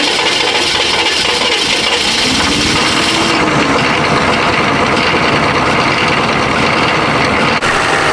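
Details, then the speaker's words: 1996 Chevrolet Silverado 6.5L turbo diesel with a cheap eBay turbo fitted, cold start: a rough idle buried under a loud, harsh hiss and rasp, sounding terrible; exhaust is leaking at the turbo, and the heat shield is covered inside. "yeah you guys got to hear this thing start up it sounds terrible"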